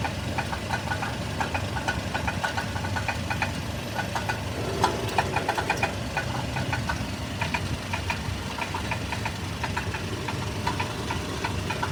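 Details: 1997 Toyota Tacoma petrol engine idling with a quick, irregular metallic knocking and rattling over a low rumble; owner unsure whether it is a bad catalytic converter or engine knock.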